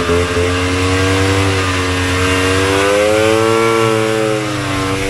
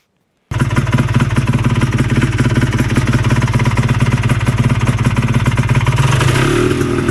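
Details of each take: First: Vintage single-cylinder Polaris race snowmobile two-stroke after full engine rebuild: wavering hunting revs that never settle clean, mistuned carburetor. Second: Vintage single-cylinder Polaris race snowmobile after engine rebuild incl. crank bearings, re-jetted pilot and main, fresher gas: two-stroke popping along with steady crisp beat, picking up cleanly on throttle; normal running.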